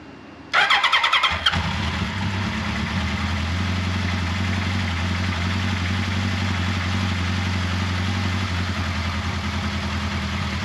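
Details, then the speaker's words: 1979 Kawasaki KZ1000 shaft, first start after intake boot reseal, head bolt re-torque, carburetor cleaning and valve clearance check: quick crank, catches cleanly, settles to even steady four-cylinder idle with no knocks or rattles. "all right as you can hear no bad noises everything sounded good"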